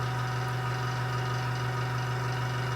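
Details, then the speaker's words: Small airbrush compressor restarting after pressure dropped from 30 to about 20 psi and building back to 30: steady, even motor hum with no knocks or surges. Normal compressor run. "all right so the compressor dropped back down about 10 psi to 20 and now it's coming come back on and let that get up to 30 psi again"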